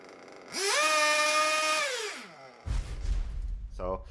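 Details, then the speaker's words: Warmed RC nitro engine (about 100°C) with rich low-speed needle: revs to high buzzing pitch, then sags to rough sputtering idle; engine loads up, needs work to clear, revs rising only gradually the more it's revved. "rich low speed needle idle goes down and it's you have to work at clearing the engine cleaning the engine and when you rev it the more you rev it the higher the revs eventually go"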